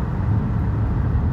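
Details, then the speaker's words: Driving-school car moving too slowly in a high gear: deep, heavy low drone with a slight throb and vibration as the engine lugs. "ఆ శబ్దం, ఆ బరువైన శబ్దం వస్తూనే ఉంది . మీకు ఆ స్వల్ప కంపనం కనిపిస్తోందా?"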